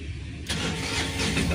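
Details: Tata Ace Gold diesel after the combination switch was replaced: brief quiet, then the engine catches at once and settles into a steady, even run; normal start.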